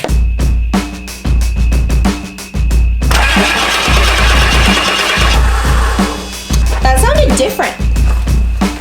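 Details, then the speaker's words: Rebuilt 7.3 Ford Powerstroke diesel in Econoline 4x4 van: steady cranking pulses, no firing, brief rough burst that doesn't run; cranks, no start, suspected no fuel reaching engine, possibly supply and return lines swapped. "yeah i don't think there was any fuel getting to the motor when i did that because one i think i might have had the line switched around"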